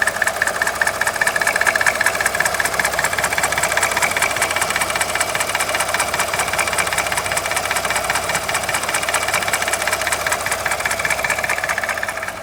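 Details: Alfa Romeo 147 Twin Spark at idle: a loud, fast, even clatter that seems to come from the top of the engine, unchanged cold or warm; a bearing problem was suspected, but it proved minor and the noise went away once fixed.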